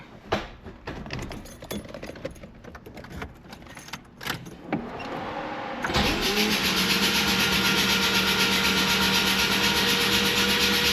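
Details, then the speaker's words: Mazda RX-7 FC with freshly rebuilt 13B NA rotary on first start, weakly charged battery plus jump pack; clicks then slow even churn about four beats a second, too weak to fire: weak cranking from low battery. "It's not going to be enough juice, but just to crank a wee bit."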